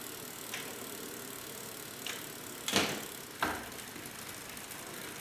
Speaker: everything sounds good there's no way to change come on top of it